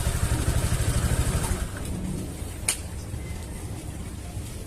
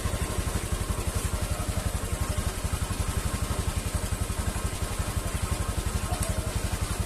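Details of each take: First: Honda Vario 150 after fixing a CVT-area knock by tightening loose lower bolts: engine starts and runs smoothly, even low putter rising briefly when revved, no knocking from the belt drive; normal running. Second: Honda Vario 150 scooter at idle: steady putter near four beats a second with a faint hiss from the CVT area; the CVT belt is slipping because of broken teeth.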